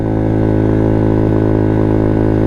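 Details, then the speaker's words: Dirt bike, low-torque, accelerating in low gear just after takeoff: steady high-pitched buzzing drone holding at high revs, whining too high and vibrating the footpegs; over-revving, needs an upshift. "when to know when to shift okay well right now it's already kind of over revving all right listen to it it's like a beautiful instrument guys"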